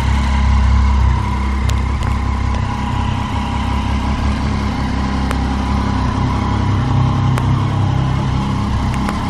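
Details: 2013 Street Triple three-cylinder at idle: steady idle with scattered sharp ticks and no clear rhythm, an unexplained engine noise whose cause is not pinned down.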